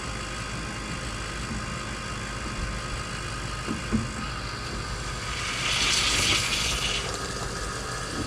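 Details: Diesel project truck at its first startup after a failed FASS was replaced with an AirDog fuel system: steady, even diesel clatter at idle with no misses or knocks. Normal idle.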